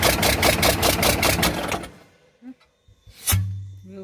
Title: cummins 6bt5.9 knocking sound